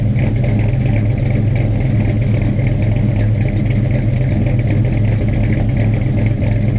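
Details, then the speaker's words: Freshly installed 450 hp Blueprint crate V8 with a carburetor, first start: strong, steady idle with a slight rhythmic chop from the cam, running evenly with no knocks or misses; healthy. "Cam's got a little chop to it."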